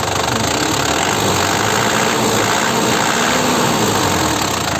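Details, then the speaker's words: 2008 Panther LM Smart Turbo diesel, manual, factory-standard with the injection pump still sealed: a dense, even clatter holds steady under a smooth rev, with no irregular knock or misfire; quiet, healthy running. "Jadi untuk mesin Penter, terutama jika kita berbicara tentang mesin Penter, jika masih standar pabrik, seperti ini, senyap. Kekrispiannya tenang, tidak terlalu mencolok."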